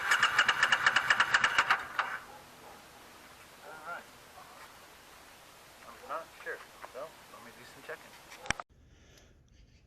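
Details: 2006 Triumph Scrambler, first start since 2017 storage after carb reinstall: quick even starter pulses about two seconds, no firing; carbs have fuel, no fire even with ether in intake and cylinder, plugs look new.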